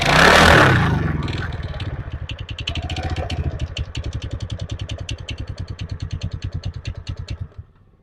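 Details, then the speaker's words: TVS Ntorq BS6 scooter idling in cold weather: a fast, light ticking at about six a second rides on the idle and fades as the engine slows and dies; the owner cannot identify the source of this abnormal tick. "और दोस्तों, इसमें से एक आवाज आ रही है। कृपया टिप्पणी करके बताएं कि आपको वह आवाज़ किस चीज़ की लगती है।"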